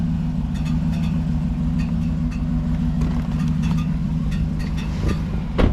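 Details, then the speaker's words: Car with V8, no fan fitted: steady running with light, tinny, intermittent metallic clicks like a screwdriver touching a fan blade, louder on the passenger side. "it basically sounds like something's hitting the fan shroud and you can see we don't have a fan and it's kind of a tinny sound and uh kind of intermittent comes and goes"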